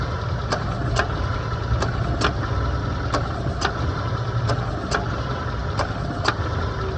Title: Kompressor AC Bunyi Tek Tek Berisik AC Compressor Making Clicking Noise?